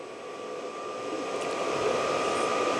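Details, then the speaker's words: New VEVOR diesel heater (about 5 L tank) on first start in a 13-degree workshop: steady fan rush with a thin whistle that builds but never becomes burner roar; no ignition, blowing cold air, then stops in sleep mode; cause not confirmed. "It's blowing cold air into the workshop, which is not a good thing. Still on 13 degrees. Can't actually hear it firing yet."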